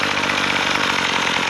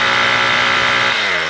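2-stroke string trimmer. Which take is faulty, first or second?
second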